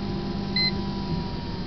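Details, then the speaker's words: Kilowatt meter on AC from a 3440 W solar array with five 500 W grid-tie inverters: a single short high beep over a low hum, warning that the load has passed 1800 watts. "As soon as that kilowatt meter hits 1800 watts, it starts to beep."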